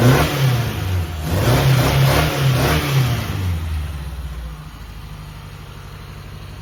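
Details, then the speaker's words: Toyota KE30 Corolla, first start after fuel system work, with an overlong noisy belt removed: smooth, even revs settling to a steady idle with no belt screech. Some shaking is attributed to the mounts; it runs okay. "all right i took the belt off i was making way too much noise that sounds a lot better"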